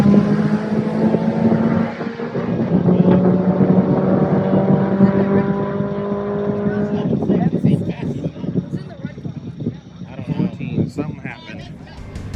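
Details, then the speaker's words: Turbo AWD Eagle Talon at drag strip, boost raised toward a 115 target: hard-pulling engine note stutters into ragged pops about seven seconds in, misfire under boost; suspected spark blowout since fuel and AFR changes didn't help, plugs to be gapped down. "it seems like we're getting a misfire the AFR was a bit off so we adjusted it and lined up for another pass sounds like spark blowout to me"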